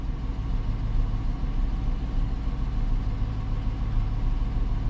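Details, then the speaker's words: 2018 Dodge Charger AWD police car idling, just off high idle, as the JDi Ghost Lock fuel pump disable command is sent: steady, even low rumble with no misses or stumbles yet; normal idle. "So, now that we're coming down off high idle, we're just going to say ignition fuel pump, and I'm going to say disable"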